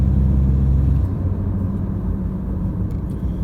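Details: Toyota Hilux Vigo 3.0 D4D 1KD-FTV diesel after injector replacement, accelerating 1500 to 2000 rpm: deep, smooth rumble pulling evenly through mid revs over road noise, no knock or rattle. Normal diesel acceleration.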